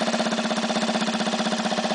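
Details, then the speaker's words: 1965 Honda C100 engine after engine and carburetor rebuild, on test stand with temporary fuel and exhaust, started on second kick: crisp, even putt-putt around thirteen pulses a second, no knocks or rattles; normal idle. "Got it sitting here idling right now, temporary fuel hooked to it. Got an exhaust system on it enough to make it run. Everything's running just as it should."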